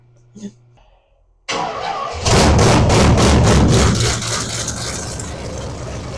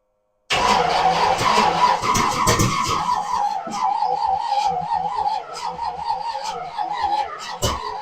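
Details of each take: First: Old 350 small block V8, possibly mild dirt-track build, in a 1963 Chevy Impala after sitting 18+ years: cranks, catches, flares loud, then settles into steady deep idle; normal idle. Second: 1963 Chevy Impala with old 350 dirt-track V8, sat 18+ years: starter cranks in wavering uneven rhythm with brief attempts to catch but never fires; suspected flooded, carburetor possibly junk.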